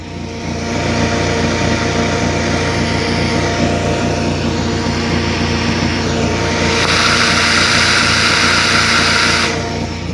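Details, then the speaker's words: Opel Corsa 1.4i Gamma utility bakkie after fuel pump and housing replacement: engine runs smooth and even with a faint fuel pump hum underneath, no leaks; normal running. "Okay guys, so bakkie's purring away. Yeah, pump is working, no leaks anywhere. And if you take a listen, you can hear the pump is pumping away."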